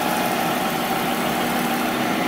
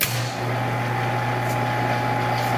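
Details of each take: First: Monarch 10EE lathe after refurb with new drive tubes, open belt, spindle at 2000 rpm: smooth even whir with faint steady tone, no knocks, rattles or grinding; spindle quiet, normal running. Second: Monarch 10EE lathe during refurb, open belt, in threading gear: steady low hum with uneven rattle about four times a second, probably from the gearbox; cause unconfirmed.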